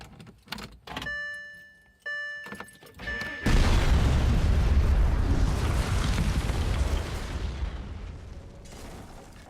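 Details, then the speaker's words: Car just fitted with new camshaft position sensors, cold morning start: clicks, crank, fires and holds fast steady cold idle that gradually eases; owner thinks slight oddness is from the cold; normal start and idle. "I think it sounds fine it sounds a tiny bit weird but I think that's because it's fairly cold this morning"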